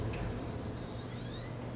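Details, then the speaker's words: PS4 after replacing the optical Blu-ray drive, disc inserted: soft hum and quiet rising whir as the disc spins up, no scraping, clicking or grinding, previous noise gone; normal disc drive operation. "Oh yes, it's not making that noise that it did before."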